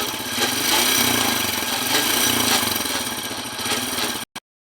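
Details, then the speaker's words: Hero Honda CD Deluxe single-cylinder motorcycle revved in first gear: harsh, gritty growl from the gearbox over the rapid engine pulsing; noise also in second gear, persisted after chain and sprocket replacement, gearbox to be opened. "ഇപ്പോൾ bike first ഗിയറിലാണ് ഇട്ടിരിക്കുന്നത് first ഗിയറിലെ sound ഒന്ന് ശ്രദ്ധിക്കാം ആ ഉരിക്കുന്ന sound കേൾക്കാൻ പറ്റുന്നുണ്ട്"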